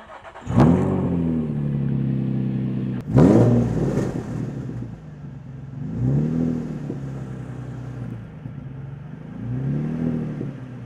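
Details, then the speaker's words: Nissan 350Z with Tomei exhaust, stock exhaust section damaged, flange missing bolts, startup: raspy, puffing blat on each throttle blip, harsh and uneven over the exhaust note; exhaust leak at header flange underneath. "It's obviously leaking underneath where that exhaust is completely toast."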